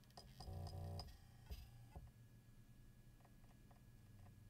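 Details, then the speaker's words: Seagate Exos enterprise data-center NAS hard drive, with noise boosted in post: short stepped motor tones as the platters come up to speed, then a faint steady hum with light seek clicks; a normal spin-up and idle. "keep an ear open for the spin up sound because remember this is an enterprise level disc and the noise will be noticeable"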